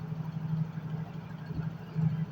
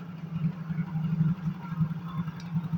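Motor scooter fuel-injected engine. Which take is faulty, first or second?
second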